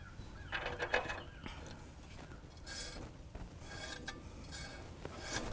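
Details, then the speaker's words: 1931 Plymouth front wheel spun after refitting repaired warped brake drum, shoes adjusted then backed slightly off; faint intermittent light brushing scrape, no heavy drag or grinding, sounds pretty good; normal drum brake light contact. "All right, that actually sounds pretty good."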